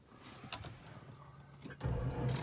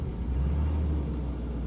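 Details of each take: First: Abandoned 1989 Jaguar XJ6 Vanden Plas, unstarted for years: faint, dragging crank that never gains speed; battery (from 2012) lacks charge, later replaced with a new battery. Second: 1989 Jaguar XJ6 Vanden Plas, not started for years, first start on new battery: low, steady rumble with even beat, no knocks or misses; runs smoothly, though exhaust pipe needs attention.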